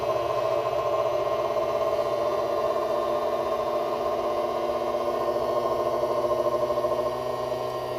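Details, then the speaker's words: Creality Ender 3 V3 Plus 3D printer, rebuilt from a returns auction, during its startup self-check: a steady, droning buzz with several fixed tones holds throughout, like the machine vibrating itself. One of the stepper motors is suspected, not confirmed. "It's like sending a vibration to itself. One of the steppers?"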